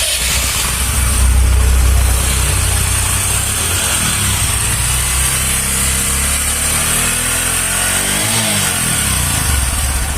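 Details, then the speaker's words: Bajaj Discover 125 single-cylinder after repair of engine bad sound traced to damaged cylinder head valve seat guides, with silencer refitted: steady, even idle with no top-end tapping or clatter, just a smooth regular putter; sound now fine. "তো sound ঠিক আছে, এরই কারণে কিন্তু আমাদের খুলতে হয়েছিল।"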